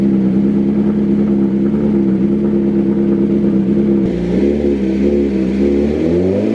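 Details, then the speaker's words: 2022 BMW S1000RR M Package on stock factory tune, cold start before dyno baseline: loud, fast, buzzy idle holds steady, then around four seconds pitch drops and hunts unevenly; high cold-start idle, which a custom tune can correct. "these things happen a very very loud and uh pretty obnoxious Idol to be honest with you for the cold start"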